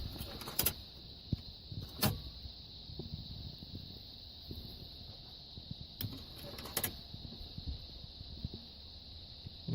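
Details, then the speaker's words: 2000 Dodge Stratus 2.4L four-cylinder factory stereo, tape player running alone: faint steady hiss with sharp irregular clacks as the gears rotate, mechanism struggling and grinding inside; stereo being replaced, cause suspected, not confirmed. "I don't know how well you guys can actually hear it but you can kind of tell when the gears are rotating in there it's kind of making a clacking noise against itself"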